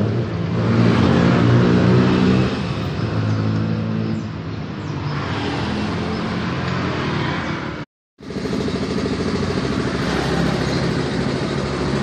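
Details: Yamaha Mio M3 scooter engine revving: rapid fairly regular clatter, about three to four knocks a second, over the exhaust, described as klotok-klotok; engine knocking noise, cause unclear.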